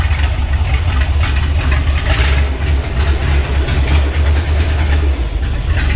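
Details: Ford Galaxie 500 V8 on first start after restoration: heavy lumpy rumble that never settles, rough uneven running; suspected excess fuel, carburetor leaking badly with floats possibly too high, not confirmed.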